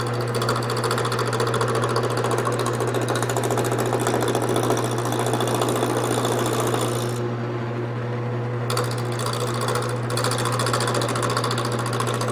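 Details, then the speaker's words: Wood lathe turning an off-centre, unevenly mounted square blank with a gouge: steady motor hum with rhythmic knocking about three times a second as the tool hits the high corners; intermittent tool knocking on out-of-round workpiece. "you can see that this area right here is pretty round and this area isn't all right and that's because of how I put it on here it's just not it's not straight"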